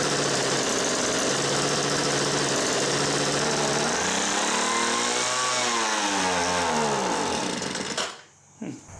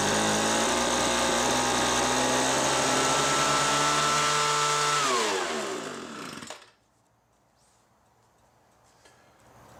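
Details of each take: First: Homelite MightyLite 26b leaf blower (model UT08520, Zama RB-29 carburetor) found roadside: starts and runs on full choke, but on half choke revs high, surges and shuts off; faulty carburetor starving it of fuel. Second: Homelite MightyLite 26b leaf blower (UT08520) after two carburetor and fuel line kits and warm mixture-screw adjustment: smooth, steady high-revving buzz winding down cleanly at shutoff, no bogging; normal running after repair.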